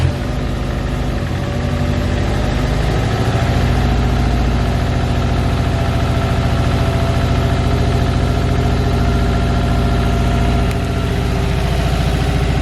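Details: Subaru STi engine in a rebuild, run only a few times, not yet fully warmed up and coolant not yet bled: catches and settles within seconds into a steady, even, low cold idle with no knocks or misses. Normal.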